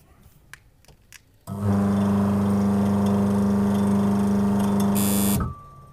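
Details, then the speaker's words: LG washing machine motor run with the belt removed: it spins up to an even, steady hum with no knock or grinding. The motor is normal, so the loud noise comes from the faulty gearbox. "हमने देख लिया है कि मोटर में से आवाज़ नहीं आ रही है।"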